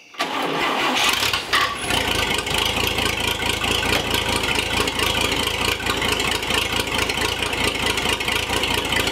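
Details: Old Chevy Apache truck, barn find sitting about 20 years, after clutch work: quick crank, catches at once and settles into an even steady run with no stumbling or knocking; engine healthy.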